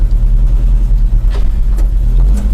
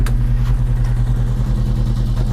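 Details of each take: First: Volvo 145 at its MOT test, running well: deep, even engine drone with one clean rev blip and smooth return to idle, no misfire; owner says it runs like a cat and likes the sound; normal running. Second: Volvo 145 driving about 30–40 km/h on a pre-MOT test drive with only one muffler/silencer fitted; loud, deep, booming exhaust drone; owner finds it too loud and considers adding another muffler but expects it to pass. Loud exhaust.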